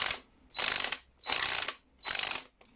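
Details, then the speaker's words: Einhell TC-CD 18/35 Li cordless drill with a mechanical clutch, held lightly: four bursts of sharp rattling clicks, about two per second, as the clutch slips. This is normal mechanical clutch action. "So I like mechanical clutch much better than electronic ones, but it is what it is."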